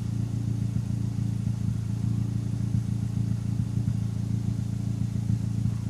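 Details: Turbocharged engine fitted with larger SR20 injectors, at warm idle: low, lumpy idle, mostly steady with irregular small stumbles in the exhaust beat; random misfire, owner suspects the injectors.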